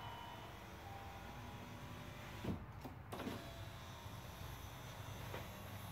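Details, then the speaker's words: 2008 Saab 9-3 Aero, passenger rear door, after window regulator replacement. Quiet, steady motor whir with soft clunks at the stops; auto down works and the window operates normally. "the auto down works still try this switch good deal"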